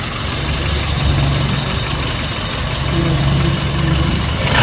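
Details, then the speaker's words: Classic car engine just started after checking spark plug tops are tight. It runs flat and uneven with a miss off the rev range; ignition timing retarded. "No, it sounded like a miss off the rev range. It did, you're right. Okay, it sounded a bit flat, right?"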